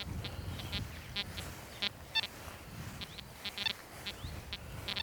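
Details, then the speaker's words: XP Deus metal detector, reactivity lowered from 4 to 2.5: short high chirps fire erratically about twice a second with no target; machine gets very nervous, unstable signal from low reactivity setting. "Let me demonstrate. At the moment we're on reactivity 4. Let me go down to reactivity 2.5 and you can hear how the machine gets very nervous."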